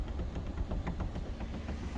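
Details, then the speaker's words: Hyundai/Kia electric power steering, steering wheel flicked with a knee against the tire and the linkage found tight: a string of light knocks, several per second. Worn plastic flex coupler at the steering motor. "and you should be able to hear and feel it through your knee if you can feel it knocking through your knee that means that the linkage is tight all the way from the noise to the wheel"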